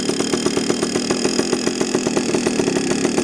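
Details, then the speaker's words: Heavily modified Yamaha PW80 two-stroke with FMF mods: crisp, rapid, even crackle holding a steady fast idle at 2,300 rpm, no hunting or missing; idling healthily. "see that's idly now at 2,300 RPM I know you can't see it on that"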